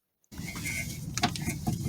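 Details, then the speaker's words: Vehicle clunks when driven. With the car stationary, working the outer and inner tie rod by hand gives dull isolated clunks from inside the steering rack, not outside. Excessive internal play means a worn steering rack. "This is the clunk here. See, I'm moving the outer and inner tie rod, and it seems like the clunk is coming from inside and not from here, from outside."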